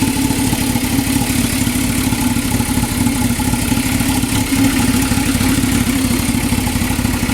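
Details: 2000 Toyota MR2 Spyder, engine replaced under 90 days ago, since then water pump failure and all three O2 sensors changed: uneven, lumpy rough idle with some clatter, cause not pinned down.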